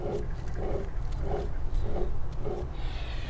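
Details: Toyota AE86 Corolla rear axle bearing, removed and spun by hand: gritty, rough rumble pulsing about every 0.6 s with each turn, a worn-out axle bearing that also showed slop at the wheel; being replaced with the oil seal.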